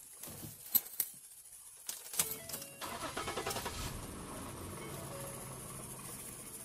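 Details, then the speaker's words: Car engine started right after a DIY oil and filter change to check for leaks underneath: starter cranks briefly, then it catches and settles into a smooth, even idle with no knocks or ticks, and no drips seen. "So what we want to do is start it up and check and see if it's leaking underneath."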